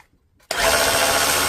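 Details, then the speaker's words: DeWalt DCH333 SDS hammer drill, damaged by unsuitable batteries, reassembled after repair and tested in drill mode; sharp spin-up to smooth even high whine, no knocking or grinding, healthy. "We weren't hammering, so we'll start off in the drill mode, or in the drill mode."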